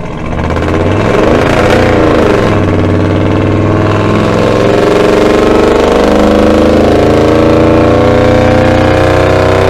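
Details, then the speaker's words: 1975 Dodge D100 V8 with Holley Sniper EFI on a freeway acceleration run. Revs climb smoothly under load without stumbling, running much better. Owner suspects the earlier problem was fuel starvation from fuel sloshing away from the tank's bottom pickup. "it's definitely running a lot better I wonder if I was just getting fuel starved and that fuel going backwards in the tank"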